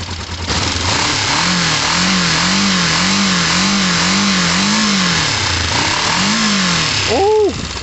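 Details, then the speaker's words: Motorcycle run to use up its fuel; twin revs in rising and falling swells, then a sharp pop as a coolant hose blows off, its clip missing; owner refits a clip and plans to top up coolant. "what popped what pops oh the coolant ah the clip's not on it"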